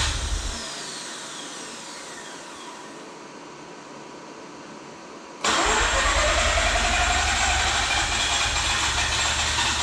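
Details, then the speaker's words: Freshly rebuilt and reinstalled Mazda RX-8 rotary, first successful start after the deflood procedure and repeated attempts: quiet fading whir, then it catches abruptly around five seconds and holds a steady, buzzy idle; it starts and runs properly. "It runs! F&A! Well, that was a bear! My wife just texted me and said, "Yay, congrats." She's probably tired of hearing this thing go."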